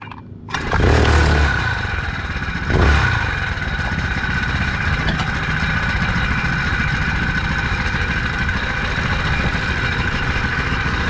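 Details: Four-stroke motorized bike, before fitting a spring tensioner: engine fires up and revs with an uneven clatter on take-off as the drive chain jumps around under acceleration. Chain slap from a slack drive chain.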